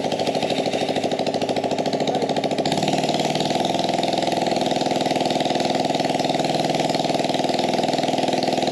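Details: Harbor Freight Predator single-cylinder on gas Power Wheels build, no air filter or muffler: loud unmuffled fast buzz with uneven ragged firing; owner suspects it runs lean from unrestricted intake.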